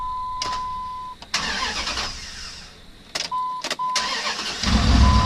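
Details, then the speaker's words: Truck after starter replacement (recent water pump change), battery reconnected: steady chime tones, then a short crank and the engine catches quickly into a steady, even idle, then shuts off; new starter working properly. "Listen to that raw power. And shut off."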